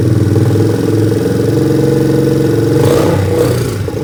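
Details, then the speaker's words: 1986 Yamaha Moto 4 four-wheeler that sat in the woods for years, first start on a charged battery with makeshift positive cable: small single thumps steadily and picks up cleanly on a throttle blip; runs healthy with good compression. "alright it starts we got compression all right bud high five sounds like we've got ourselves some good four-wheeler it's compression"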